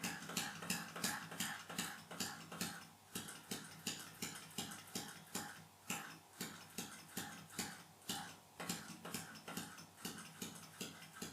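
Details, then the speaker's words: Air motor driven by air pressurised from an attic water tank: 3 min 30 s into the run, on low supply pressure, uneven faltering clicking strokes (about three a second) as it labours and nearly stalls several times before reversing direction. "À 3 minutes 30 après le début de l'essai, le moteur a failli s'arrêter plusieurs fois avant de changer de direction."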